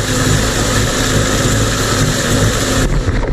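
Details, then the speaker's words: Mercury 50 two-stroke outboard (9M9XM00591C1) after a new fuel filter and a resealed airbox. It gives an even low burble with a steady firing beat and no stumbles or misses under some wind: normal idle. "I mean, that's idling, dude. Ever. It don't sound like it's cluttering or anything, dude."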